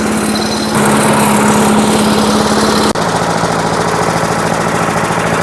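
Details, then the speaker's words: Vintage 1980s Firestone lawnmower revived after sitting 20 years, running about 10 minutes with mist oil added to fuel, smoke cleared, idled down: small single-cylinder buzzing putter, even, no knocks; normal running. "But she's been sitting out here running for about 10 minutes now. I've got it idle down. She sounds good."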